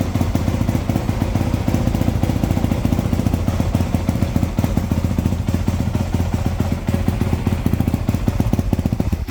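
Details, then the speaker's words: Two-stroke dirt bike with fresh top end, early heat cycle after shop work: crisp, even popping at a steady fast idle, no knocks or rattles; healthy. "And I do want to show you guys what this thing sounds like with the fresh top end."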